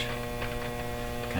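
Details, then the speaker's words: RCA Victor 911KG console radio during checks of its motor-driven tuning system: very loud, steady, rhythmless low buzzy mains hum from the speaker with no program audio; hum cause not yet found; dirty switch also noted. "That's a mean hum."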